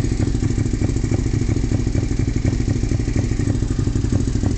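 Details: 2002 Suzuki SV650S twin with full M4 exhaust idling with a lumpy, off-beat sputter and irregular thumps instead of an even lope; rough idle, cause unknown.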